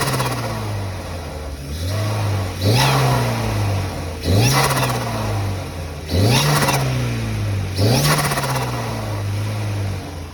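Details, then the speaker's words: Renault Clio turbo track car, bigger Sytec fuel pump, custom 2-inch boost pipes, 3-inch exhaust: repeated rev blips rising and falling with a hissy whoosh on each, loud whistle on partial throttle though boost leak tests found nothing; turbo later failed, blocking mapping. "It is making a bit of a funny sound on partial throttle though. It's like a really loud whistle like a boost leak, but boost leak testers come up with nothing. So hopefully the turbo's not on its way out."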